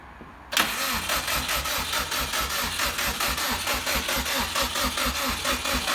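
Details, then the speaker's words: 2006 Subaru with swapped JDM WRX engine and 6-speed, first start attempt after install, weak battery: steady slow-pulsing starter churn that never fires; cranks but won't start because the fuel feed line was connected backwards. "we got it turning over yesterday couldn't get it start realized that I had put the feed in the wrong direction"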